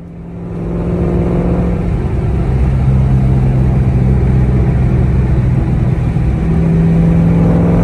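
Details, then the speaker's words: 2003-04 SVT Cobra with T56 and aftermarket 26-spline input shaft: driving, engine pulls cleanly and steps through gear changes with no grinding or clunks. Shifting is unaffected; the input-shaft noise is suspected to come from shaft quality. "now driving around it's completely unaffected the car shifts just fine and that should be because the gears are all farther back in the transmission"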